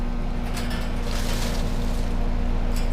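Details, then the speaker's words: New Trane XR outdoor air conditioner condenser, installed this year replacing a noisy Carrier Tech2000, just after startup: even low hum with smooth fan whoosh, no rattles or grinding, much quieter than the old Carrier; normal running. "all right so the air conditioner just turned on and now it's running and it is so much quieter than the old carrier I remember the old carrier had like noise problems"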